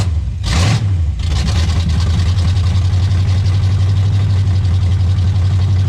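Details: 1985 Pontiac Trans Am 350 small-block, first run in at least seven years, exhaust hot, no choke: deep, steady V8 idle settling right after a brief rev, even unbroken beat; normal idle.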